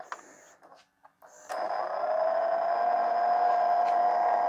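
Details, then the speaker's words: E-waste LG/NEC VCR: a click, then a steady whirring motor tone climbing slightly in pitch as the tape spools back uncommanded after ejecting; a dirty mode switch is suspected. "Now it's trying to rewind again. Yeah, all right, it has a major issue."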